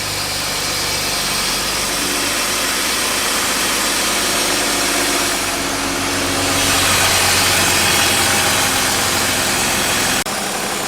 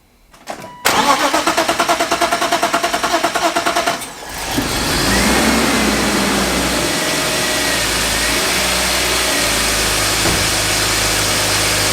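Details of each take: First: BMW E36 with M50 intake manifold swap and AFE cold air intake, just started in garage: clean free revs with loud throaty intake roar; pulls evenly, runs and idles well. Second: BMW E36 first start after an M50 intake manifold swap and a cold air intake install: the starter churns steadily about three beats a second for several seconds before catching because the fuel system was not primed; it then runs and idles well.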